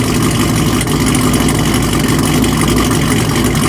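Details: Cold start of a V8 with Kooks long-tube headers, catless, muffler delete and BTR stage 1 cam: lumpy idle with sharp, uneven pops cracking through the exhaust over a deep rumble; cause not pinned down.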